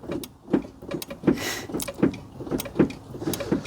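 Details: Smart ForTwo 451 after replacing a failed rear drum brake auto-adjuster: crisp clicks about once a second, one with each brake pedal pump, over a quiet background; the new self-adjuster is ratcheting normally.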